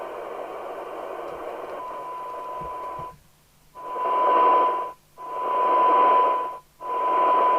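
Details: Kernow Beta 1100 PR27/94 UK FM CB radio on 13.8 V, channel 20, after cleaning the faulty volume control with switch cleaner: steady test tone in even bursts over light hiss, no crackle or dropouts. Normal, clean receive audio.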